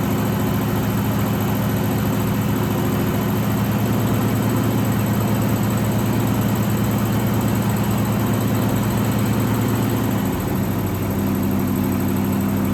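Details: 1963 AMC 287 V8 in a Rambler wagon, started after sitting a while: steady idle with thin constant high squeal first mistaken for a belt; mixed-up rocker shaft bolts after valve stem seal job starved the left bank rocker shaft of oil.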